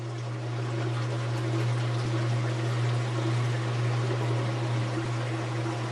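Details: Kenmore/Whirlpool washing machine that would not spin, after replacing the motor coupler (285753A): steady low hum with water swishing, an even spin with no knocking or grinding; the washer now spins normally.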